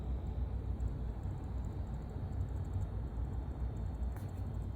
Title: Lian li TL LCD 120 Wireless fan abnormal bearing noise